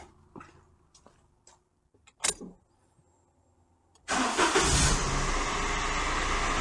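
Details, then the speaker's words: Daihatsu Sirion restarted: quiet clicks, then the engine catches and settles into a steady idle with no whine or rattle on top; noise gone, engine sounds rough but normal for the type; normal idle. "yep noise is gone I know it sounds awful but I don't I think that engine does sound awful I think it's just how they are"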